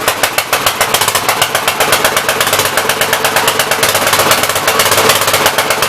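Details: Gravely 64L tractor single-cylinder, first run in a long time, choke off, throttle up: an uneven, lumpy chug that lopes and stumbles. Running rich and flooding; the main jet adjustment is stuck to the packing nut.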